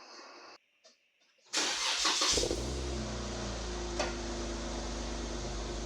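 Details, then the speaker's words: One-ton Jeep JK with a newly built exhaust (one hanger still to add), jump-started: it cranks, catches and settles to a deep, steady idle with a little rasp and no ticks. The note is healthy and no longer sounds like a minivan. "Okay. Well, that doesn't sound too bad. So, it's actually got a little bit of a noise to it now instead of sounding like a minivan."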